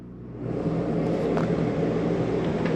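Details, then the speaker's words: 2001 Georgie Boy 3602DS motorhome air conditioner switched on by cranking up the thermostat; it kicks on with a swelling rush, then settles into a smooth, even rumbling hum with no rattles, running normally. "Over here is going to be our thermostat. We crank our air"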